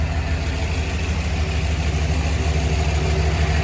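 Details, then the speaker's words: Ford truck after mass air conversion with a 4R70W harness, timing just set and a replaced ignition coil: steady, even low rumble with no misses, knocks or hunting; a smooth, healthy idle, much smoother than before. "You can see it's a lot, I don't know if you guys can notice, but I notice it's a whole lot smoother."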